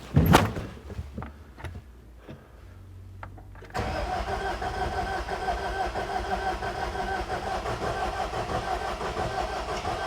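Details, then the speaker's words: 2010 John Deere 320D skid steer, John Deere 4024 diesel, auction machine hard to start cold and won't restart hot; start attempt on weak battery gives slow uneven cranking before catching, a little smoke; owner suspects dying battery, jump box next. "Okay, so it sounds like my battery's getting pretty dead, so let me put the jump box on it real quick and we'll try it again."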